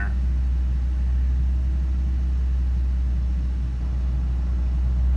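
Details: Ford Ranger idling at 2,000 rpm with foot off the pedal for about a minute, only with HVAC on; hangs there after a throttle jab, 16.5% throttle shown. Steady, even low rumble; owner suspects throttle position sensor, unconfirmed.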